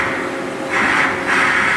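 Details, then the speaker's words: CNC machining centre, Z axis travel. It is louder than the other axes because of its way covers, but holds size well on ballbar and meter tests. A smooth servo whine rises during two quick moves; normal axis travel. "that's our z-axis right here here it's a little bit out louder because um uh than other X's uh it's got um uh covers it all holds size"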